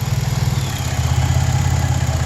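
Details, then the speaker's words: 2011 Dodge Nitro 3.7 V6 idling, alternator field circuit jumped with 12 V: even low rumble with faint steady whine, reaching 15–17 V; alternator is good, fault was the PCM's field-control high-side driver. "So once I do this, I don't know if you'll be able to hear it, but you'll hear the alternator whine a little bit."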